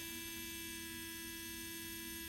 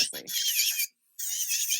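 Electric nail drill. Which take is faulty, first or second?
second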